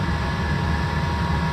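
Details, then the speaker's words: 5 kW diesel air heater in a 28 ft motorhome, showing an error alarm because dead batteries let the charger push 18 V over-voltage, still starting up: steady, even low whir with fan rush and no misfire pops, normal heater start-up. "I'm getting the error alarm for the heater in here it's starting up now anyway"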